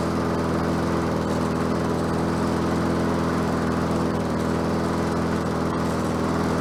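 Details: Bolens 22-inch self-propelled mower with a Quantum engine, on the ground after repair work: steady, even single-cylinder beat with no misses, surging or hunting; self-propel works and it runs smoothly and healthy.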